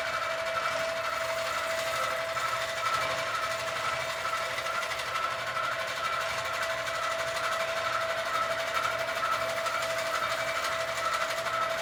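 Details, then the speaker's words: Sewing machine quilting a Christmas quilt, with too much bounce (owner thinks something is too loose) and a sound the owner calls not normal, cause unknown. Fast, steady stitching chatter, high-pitched tone, uneven knock. Abnormal stitching noise. "Now, I don't know if you could see that there's a lot of bouncing. So, I need to figure that out, which means something is too loose. Like, it's supposed to bounce, but there's too much bounce. One. Two, it is making a sound that my machine is making a sound that is not normal sound."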